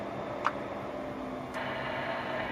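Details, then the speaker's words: 203 amp suspected of a sticking changeover relay, driven with about 10 watts: two crisp clicks over steady hiss as the amp keys and drops back, the relay pulling in and releasing cleanly this time. "It worked that time. D key. I can hear the relay switching over."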